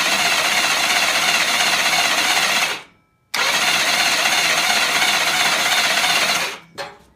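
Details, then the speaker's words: BSA Fury SS (E35SS) electric starter with more powerful battery fitted, cam box off, spinning the engine in short bursts to build oil pressure: two brisk, even whirring bursts of about three seconds, no grinding or slipping; starter turns the engine freely. "Now, I don't want to do this too much because we don't want to burn the motor out, but I'm going to keep doing it in short bursts and see if we can get some oil pressure up."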